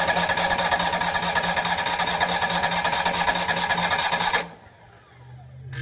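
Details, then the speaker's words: Miller welder Kohler EFI engine after reconnecting the faulty flooding fuel pump: starter churns steadily about two strokes a second for four seconds without firing, then stops; empty fuel system not yet filled with gas. "happens this was empty so this needs to fill up with gas and I think it may be full now so let's try it"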